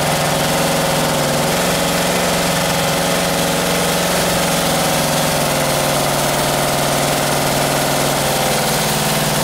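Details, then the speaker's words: 1978 Camaro 350 engine, warmed to 190 degrees with exhaust fitted: steady idle with busy fast top-end clatter; lifters rattling, valves still to be reset. "with the exhaust on there i can hear the lifters rattling so now i can go and uh go through and reset those"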